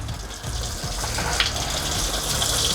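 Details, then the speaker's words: Dewinterizing an RV travel trailer, with the water pump on the fresh tank and the hot water tank refilled to purge air: a strong continuous rush of water from the faucet with no spitting or air bursts; the lines are purged and the flow is steady. "But that looks like we got some solid going through."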